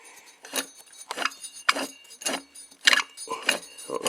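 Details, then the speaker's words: Lawn mower pulley removed after it froze up, turned by hand: gritty, jangling clicks each turn from bad bearings; new bearings being ordered. "you hear it, but the bearings are bad on it."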